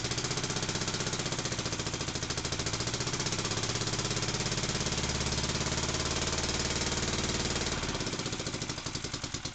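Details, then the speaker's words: Barford Atom single-cylinder engine with the microphone right next to the muffler, run on a small splash of fuel. Quick, even putter with good spark that slows and stumbles as the fuel runs out; running properly. "this sounds like it's got a good spark"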